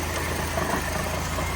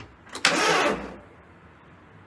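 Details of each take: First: Barn car bought in 2017 that sat for years by the ocean, with debris in its fuel tank, running after about 3 years stored: steady, even low rumble with no skips or stumbles; idling smoothly with no misfire yet. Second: Barn-stored car that sat three years, started on a booster pack: two short, labored cranking bursts with clicks, starter dragging slowly, engine never catches; slow weak cranking, suspected weak booster or bad connection, unconfirmed.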